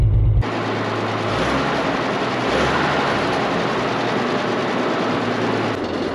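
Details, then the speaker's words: WWII half-track engine, cold, after carburetor float and seat work, no charging system: steady, even idle with low rumble, no misses or knocks, no smoke, good oil pressure; normal idle. "now that sounded pretty good that's burning clean i don't see any smoke at all nice"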